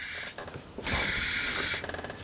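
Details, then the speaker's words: Mercedes E500 (1996–2006 series), serpentine belt removed: hand-spun idler pulley gives a gritty, rattling whir; worn idler pulley bearing causing slight rumbling from the engine front, to be replaced. "okay that's the culprit right there and this is probably the number one you know you know bearing that needs to be replaced primarily cuz it spins at a higher speed than some of the other bearings"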